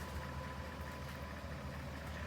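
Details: BMW M62B44 V8 at idle: a low regular knock about five times a second, piston slap against the cylinder liner. It is clearest on throttle release and heard best from under the right wheel with the hood closed, less so with the hood open.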